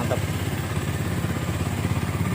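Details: Minerva R150 SE 150cc motorcycle after CDI, battery and rectifier reinstalled and wiring repaired: settles into steady, even idle with smooth low putter and no knocks or misses; healthy.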